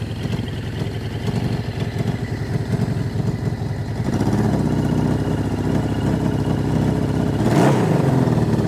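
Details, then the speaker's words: 1981 Suzuki GS650GL inline-four, first start after years sitting, choke on: uneven, lumpy beat stumbling as it comes around; owner suspects one cylinder missing, later says carbs need syncing. Misfire, possible dead cylinder. "come on think we may be missing one"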